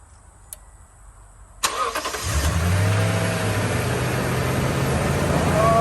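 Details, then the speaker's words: 2016 Toyota Tundra 5.7 V8, 41,000 miles, previously cranked but would not start. After replacing all eight spark plugs, a short crank and it catches straight away into a steady, even idle with no misses; the spark plugs were the cause. "And now, as you can see in here, the car starts right up. Turns out all along it was the spark plug."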